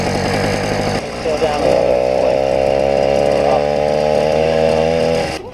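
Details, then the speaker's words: YD100 two-stroke bike engine, carburetor needle found at richest setting, moved up one notch to lean slightly: buzzy uneven burbling rich running, improving and nearly idling as mixture leans. "definitely the richest setting we're going to go up one which leans it out ever so slightly"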